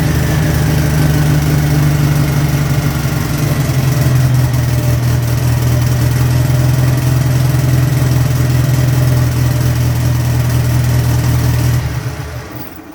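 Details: Turbo air-cooled VW engine on the dyno, just after a hard start: deep, steady, even beat with a faint airy turbo whistle; smooth and healthy.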